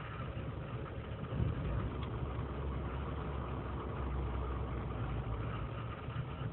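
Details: 2003 GMC Sierra Z71 5.3 L V8 (non-flex fuel), cold start after sitting overnight in single-digit temperatures, idling unassisted: erratic rough idle, RPM dipping to 500 and rising to 1600, lean and misfire codes; owner suspects failing intake manifold gasket.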